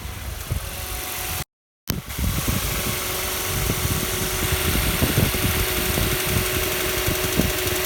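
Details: Kia Soul 2 1.6 engine at cold idle: sharp, uneven ticking knocks riding over the engine note, roughly four a second; cold-start engine knock, cause unclear.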